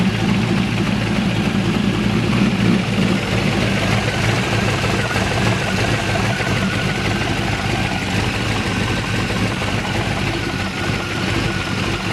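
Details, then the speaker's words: Chevrolet Malibu small-block V8 after a new top end (heads unchanged), running without the air cleaner: a deep, loping, even idle with no knocks or misses. Starts and idles well. "okay guys she's running hella good starts up hella good Idols"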